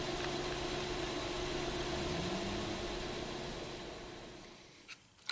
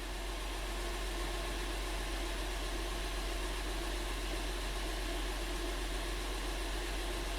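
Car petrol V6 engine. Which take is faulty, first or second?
first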